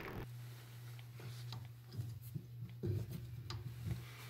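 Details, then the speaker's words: Toilet fill valve not sealing properly after flushing, causing wall pipes to rattle; steady low hum with rattling taps, noise stops when the valve part is pulled up. "and you can hear the noise and if i pull up on this it stops"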